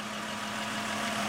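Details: 2004 Honda Pilot just started after engine swap, warming up to open thermostat: even steady hum, constant low tone, no knocks or misses; smooth healthy idle.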